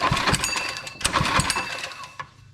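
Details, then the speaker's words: Monster Moto minibike, called four-stroke when tested but two-stroke earlier, compression test while pull-starting: a few slow strokes with an even chuff and firm pushback. It reads 90 PSI, good compression. "90 PSI compression that is not bad at all for a uh four stroke two"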